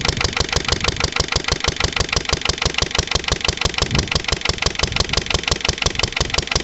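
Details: Lister LD1 single-cylinder diesel on a chilly 5–6° morning after a fuel filter change: chugging about three beats a second, labouring unevenly under load and nearly stalling. Rough running; owner suspects an air lock in a fuel line or the pump, perhaps missed bleeding step.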